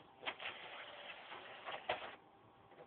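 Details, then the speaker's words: PS3 Slim Blu-ray drive making faint irregular ticks and mechanical clicks while trying to read a game disc. It fails with several known-good games, and the lens was cleaned without success. Owner suspects the Blu-ray drive is dead; not confirmed. "I don't know if you hear the ticking noise but it's really pissing me off here it's just pissing me off"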